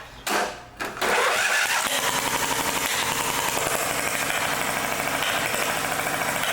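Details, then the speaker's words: Lawn mower engine after a head replacement following a mouse-nest buildup: a lopsided, uneven chuff with beats dropping out, like a hit-and-miss engine, because a push rod is still opening only the one valve. "sounds like a hit and miss engine now reason it's doing that is because the other push rods still opening and closing the one valve not just the other one"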